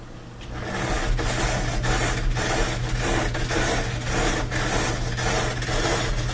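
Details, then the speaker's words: Bosch dryer tumbling: steady low hum with an uneven rasping metal scrape about twice a second; an object was caught between the drum and front bearing. "like some kind of a metal rubbing noise i'm just gonna unplug it and open up the door and i'm going to just feel around on the inside to see if i can see if there's something caught in there"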